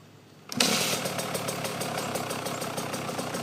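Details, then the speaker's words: 2009 KTM 125 SX two-stroke with fresh OEM top end (about 2 minutes run), cold pipe, no choke, first start since the day before: fires on one kick, settles to crisp steady idle; normal cold start and idle. "This is the first start up since yesterday. So we're gonna put 3 minutes on it. Turn on the gas. No choke. Just one kick."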